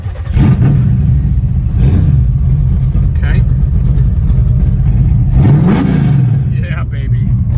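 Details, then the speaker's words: Healthy start and revving of a 1972 Chevrolet Nova's 406ci 4bbl V8 with aluminum heads, headers, MSD ignition, dual X-pattern exhaust and TH350, electric fuel pump switched on first: a deep, loud rumble with a sharp rev settling to a steady idle, claimed 500+ hp. "This ain't no joke, guys. Car's putting out at least 500 horse."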